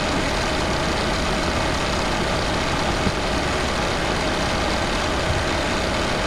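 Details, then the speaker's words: MK6 VW Golf 2.0 TDI (CBAB, DSG) just after timing belt, pulleys and water pump replacement, coolant still bleeding, not yet warm. Steady, even diesel clatter at idle with no knocks, ticks or squeals; no warning lights: healthy. "Okay, so as you can hear, we've got no issues. There's no warning lights on the dashboard. Engine sounds perfectly happy and fine."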